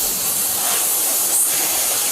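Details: Heat pump during refrigerant charging: steady sharp hiss with no motor underneath while the fitting is tightened and the hose freezes. Refrigerant is leaking at the charging hose.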